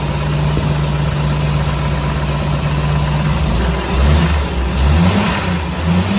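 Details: 1984 Jeep CJ7, frame-off restored: smooth, even idle with steady low rumble, then a few quick throttle blips that rise and settle cleanly; healthy engine, normal idle with revving.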